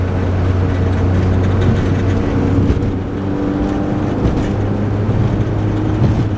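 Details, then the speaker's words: Lowered Nissan 240SX daily driver with loud, very low aftermarket exhaust missing a bolt; heavy steady low boom under the engine note while cruising, and on acceleration the exhaust hits something underneath; exhaust drone. "this exhaust right now has so much Drone and if I accelerate you could hear that the exhaust is hitting something I don't know exactly what it is but yeah very annoying"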